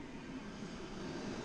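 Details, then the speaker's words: Chevy G20 van heater blower motor fan after removal and refit, key on in heat mode, low then high speed: steady, even whirring hum with no ticking, scraping or wobble; blower running quiet and healthy. "she's blowing nice and quiet guys I mean you could probably hear it in the camera that's low and that's high so she's"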